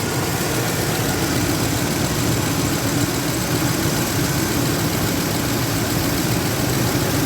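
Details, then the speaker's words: Ford F-150 cold start, not started all day: steady, even rumble at slightly raised cold idle, no knocks, misses or squeals; sounds nice and strong, normal cold idle while warming up. "now it sounds nice and strong so let's let this thing warm up a bit"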